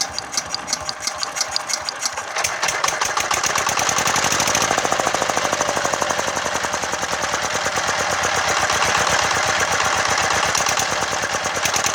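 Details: Yanmar TF115 11.5 hp single-cylinder diesel, freshly rebuilt (new liner, piston, rings, bearings) for hard starting, first start, not throttled up. Crisp regular firing beat picks up after two seconds then holds steady; normal running, governor not yet set.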